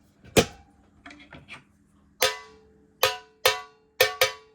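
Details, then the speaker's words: 2002 Fender Vibroverb ('64 reissue) reverb pan before damping foam tape was added: sharp metallic hits ring with a harsh bell-like decay. The undamped reverb pan resonates, harsh and metallic. "resonant and metallic, very harsh sounding."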